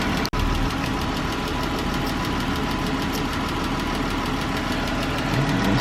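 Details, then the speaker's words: 2013 Chrysler 300 3.6L V6 at idle, quick light lifter-like ticking keeping pace with engine speed, louder on driver side than passenger side. "see 3.6 liter be BG and it has that ticking sound like a lifter and something and it's in there ticking"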